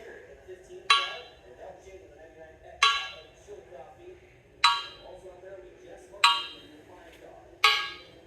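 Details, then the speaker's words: Crower crank from a bought used motor that flexed and gave false readings during balancing: five hammer taps about two seconds apart, each dying quickly as a dull clank instead of a ring. Probably cracked; a wet mag check is the proper test. "You got a good crank that came out of a race motor. If it sounds like this piece of shit, chances are it's probably cracked."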